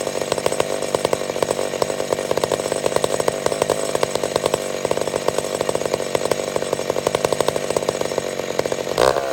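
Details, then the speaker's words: McCulloch Super Pro 70 chainsaw cutting wood: high even buzz holds speed through the cut, no bogging. Running properly under load; owner suspects it's slightly lean. "okay so i get the feeling that we fixed it but i've also got the feeling that i could be a tad lean"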